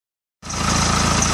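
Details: BMW E91 2008, N47D20 diesel, 200,000 km: a fast, even light tick rides over the diesel idle clatter. The owner suspects the timing chain; not confirmed.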